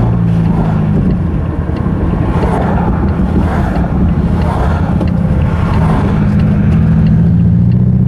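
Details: Rusty Mazda 3 after its engine blew on a clutch dump: deep, lumpy, uneven throb with a loping, Subaru-like beat and no smooth rhythm; running very rough after the failure.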